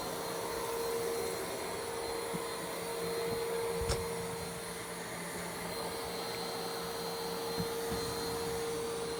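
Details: New iRobot Roomba Plus 515 vacuum-mop combo cleaning a messy floor in back-and-forth straight lines, first of two passes: steady mid-pitched motor hum, soft brush whir, occasional light bumps; cleaning normally.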